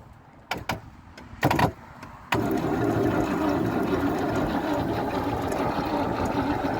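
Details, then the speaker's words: Range Rover Classic pickup V8, parked over 20 years, first cranking: a few false starts, then a steady even cranking rhythm; engine turns freely, no dead cylinders, though one may be slightly flat. "So, engine's nice and free, and it sounds like it has no like dead cylinders or any weak. It's turning over. There's one that might be a bit flat. It's turning over pretty smooth though."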